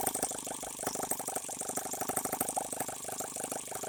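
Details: H76 Microcosm twin-cylinder model engine on the bench, water-cooled and not leaking, making plenty of heat: quick, light rattling beat with no missed strokes; normal running on both cylinders.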